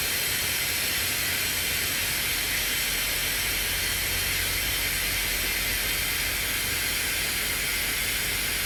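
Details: Semi trailer with missing parts, trailer brakes set: loud steady hiss of escaping air throughout as the trailer slouches and its air suspension dumps, with creaking; air brake leak awaiting parts.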